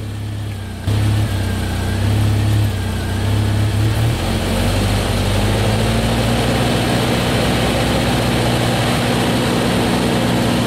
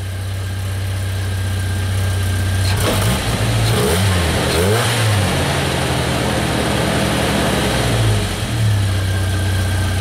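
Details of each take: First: Jeep Wrangler TJ at high idle with check engine light: idle is 941 rpm with the TPS unplugged, rising to 1700 rpm once it is reconnected. Engine settles to a fast steady idle; faulty throttle position sensor. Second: Jeep Wrangler TJ that had a high idle and check engine light, after replacing the throttle position sensor on the throttle body; steady low idle, a brief throttle blip dropping straight back to an even idle; normal idle.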